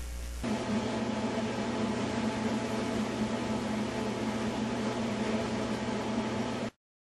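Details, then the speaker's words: Whirlpool dryer after an object was removed from the blower housing: steady even hum and airy rush with no knocks, scrapes or rattles, then stopping; normal running. "this is the way that the dryer should sound"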